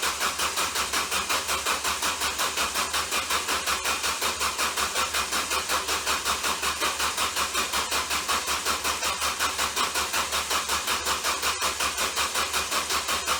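Steady fast cranking, about 160 even pulses a minute, with no catch or start; the starter keeps turning the engine but it never fires. Cause suspected, not confirmed.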